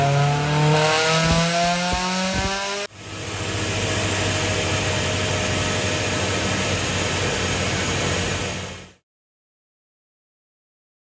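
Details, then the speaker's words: Honda S2000 with brand-new OEM F20 short block and new cylinder head, first start after rebuild following a seized engine: revs climb briefly then settle into a steady even idle. "it's always amazing when you see an engine that you built from nothing you put it together you hit the key and it runs"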